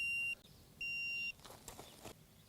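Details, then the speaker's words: Dovoh H3-360G self-leveling laser level outdoors at about 50 feet: two steady high-pitched beeps, each a third to half second, warn that the laser is off level. "I'm going to go back till it reads 50 feet. You hear the beeping, because my laser is off level."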